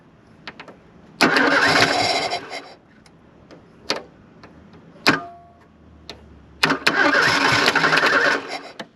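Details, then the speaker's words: 1983 Ford Thunderbird Turbo Coupe, 2.3 L turbo, unrun for 20 years, hot day, brake cleaner sprayed into the intake: two bursts of even cranking, the engine spins freely but never starts; no fuel pressure, fuel pump issue. "not a juice so it made noise it's hot out today obviously we got a fuel pump issue"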